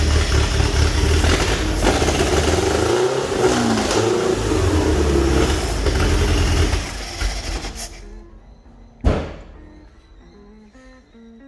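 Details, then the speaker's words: Toyota Corolla KE25 running on brake cleaner fed into carburetor, fresh fuel and spark present: revs rough and uneven, surging, then fades and stops; carburetor stuck open at start; timing suspected to be out. "so it doesn't rev very nicely and the um carby actually got stuck on at the very beginning there"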